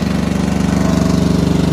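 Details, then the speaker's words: Starter motor after rebuild: engine fires with a steady, even low thump, about twenty beats a second, and settles into a smooth, healthy run; repair successful, normal running. "now let's start it and you see yeah pretty cool so the guy gives a positive results after all that struggles but uh"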